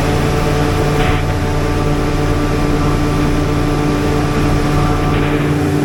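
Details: Generator after minor service, oil and coolant full, run while checking output voltage: steady even hum, constant low pitch, no surging, knocking or misses; normal running.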